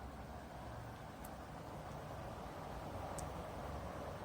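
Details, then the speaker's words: Dreo Pilot Max tower fan at full speed: even rush of air with smooth motor underneath, no slight whirring or bearing noise heard on the Pilot Pro unit; runs cleanly. "I don't hear that slight worring or bearing noise that I did in the Pro."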